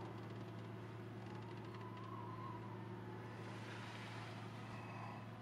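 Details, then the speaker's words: Newly installed Webasto diesel heater in JDM Isuzu Elf 4WD camper, exhaust routed around fender; steady even low hum with soft whir, no knocks or surges; all working, normal running. "so it all turned out really well i was like super excited that it's all working"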